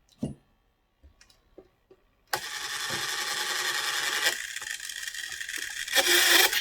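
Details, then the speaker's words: 1984 Tamiya Mitsubishi Pajero RC car under restoration: harsh, gritty grinding for about four seconds each time the steering servo is driven. Steering servo grinding. "See, that's steering, grinding. Sounds absolutely horrendous."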